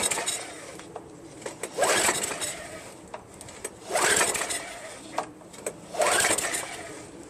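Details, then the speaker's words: Craftsman Eager 1 22" self-propelled mower, Tecumseh 5.5HP engine, after a fuel treatment failed: three recoil pulls about two seconds apart, rasping spins that never fire; no-start from faulty carburetor, later found trashed beyond repair. "Alright, it is official. This thing doesn't start. I'm going to take out the carburetor."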